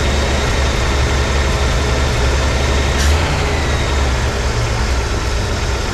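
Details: 1983 Ford F150 300 inline-six after the Carter YFA one-barrel carb fix, choke off, idle dropped slightly but maybe still fast for a manual: steady, even low rumble with a faint occasional stumble. Normal idle.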